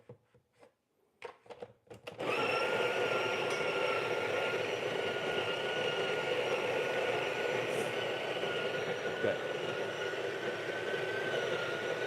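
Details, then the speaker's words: Breville Barista Pro/Express built-in grinder grinding a dose through a dosing funnel: steady mid-pitched whine, with a whining noise at the end of the cycle when tapped to clear grounds; normal operation. "in the end of grind cycle you're going to hear you're going to hear the like you know whining noise that's the when I like to tap it which means I'm going to get the all the coffee WIS out"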